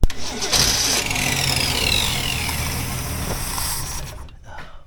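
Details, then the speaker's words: 1964 Ford Ranchero engine, first run after sitting with coil and points ignition wired up: cranks briefly, catches and settles into an even, steady run with no misses or knocks, sounding healthy and seeming to run on all six cylinders. "so as you can see that engine sounds healthy I think it sounded like it was running on all six"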